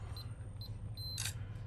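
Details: After a repair that reseated the lock's internal parts, a Schlage BE365 electronic push-button deadbolt gives three short high beeps, then a quick motor whirr and click as the bolt draws back. The unlock cycle is normal again.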